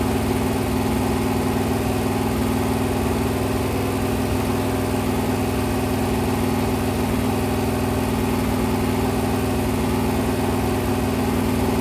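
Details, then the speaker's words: Freshly rebuilt 426 Hemi crate V8 (new heads, intake, pistons) on a run stand during flat-tappet cam break-in at 2400–2500 rpm, 32 degrees timing, 150°: steady, even roar with no ticking or knocking over the exhaust; healthy valvetrain. "I'm at 2400 2500 RPM, 32 degrees of timing. Every so often, I'll rev it. I'll bring it lower. I'll bring it higher."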